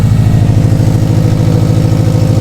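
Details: Subaru STI (Launch Edition build) at first start after assembly: even idle with a sharp, puffing tick at every firing pulse over a quiet engine. This is an exhaust leak because a sensor was left out of its port.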